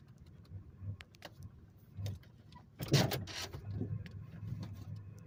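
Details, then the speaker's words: 2001 Chevrolet Monte Carlo LS 3400 V6 idling in reverse then park: lumpy, uneven idle with irregular stumbles and a shift clunk; multiple misfire codes, idle rises slightly in park, cause not yet found. "so uh that's how rough she's running when I put it in park there at first I had it in reverse and you know when the video first started is in reverse and then I put it in park and it the uh idle come up some but it you can still hear it you know and that's that uh multiple misfire is what uh the codes are"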